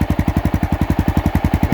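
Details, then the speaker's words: 2002 Honda XR650L, just under 3,000 miles, built into a light adventure bike, idling in neutral: even, deep single-cylinder thumping at about eight beats a second, no misses or rattles, clean idle. "It's actually not that loud either. The pipe sounds great."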